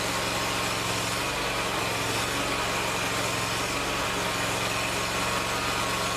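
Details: Lawn tractor small engine after fitting an electric fuel pump to fix a fuel problem settles into a smooth, steady even hum with no knocks or stumbles; running normally.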